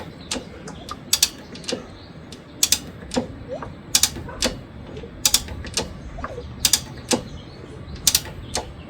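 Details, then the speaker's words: 1963 Honda CA95 Benly barn-find, both plugs out (NGK D8HA), fluid squirted into the cylinders, ignition off with no key. Slow kicks give light ratchet clicks and it spins over nice and smooth with no grinding or binding. The engine turns over freely. "Spins over nice and smooth."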